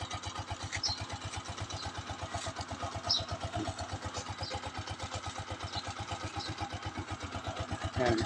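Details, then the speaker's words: Honda TMX Alpha 125 motorcycle, low mileage, cold morning kick start after carburetor air-fuel mixture and idle tuning; even steady putter at low idle around a thousand rpm, no knocks or misses; normal idle. "Oh ito yung Menor niya tamang-tama lang yung Menor niya"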